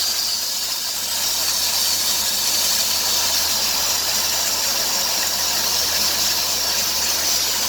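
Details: 2003 Dodge Grand Caravan 3.3L, 372,528 miles, revving: a steady high hiss with a squealing chirp, louder nearer 2000 rpm, returning after briefly stopping. New idler and tensioner pulleys and power steering pump didn't fix it; a worn serpentine belt was likely the problem.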